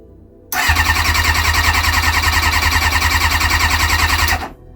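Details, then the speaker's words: Kawasaki ZX-6R after 10 years sitting, tap on reserve, only 5 litres in the tank, easy start tried. The starter spins at about 3.5 beats a second for four seconds without catching; the fuel filter is empty, so fuel is not getting through. "not going to start if we've not got any fuel in the fuel filter."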